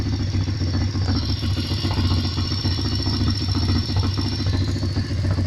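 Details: Pit bike engine with about 130 engine hours, idling: a fast rhythmic knock and a constant metallic rustle present whenever it runs. The cause is unknown.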